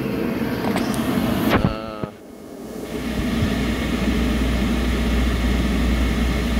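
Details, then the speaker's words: Kaeser 5 HP three-phase rotary screw compressor run from single-phase power through a VFD: after spin-up unloaded at 30 Hz, it goes to 60 Hz and loads, a steady even low drone building pressure toward 120–125 psi normally. "now it's compressing building air this is just right at 60 Hertz like it would off of our regular three-phase line power"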